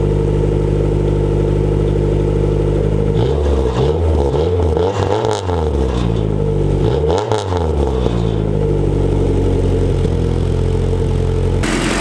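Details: Honda DA9 with turbocharged B20 VTEC, start after finishing work including exhaust routed past the oil pan: smooth steady idle with clean throttle blips, no knocks, rattles or leaks; sounds healthy.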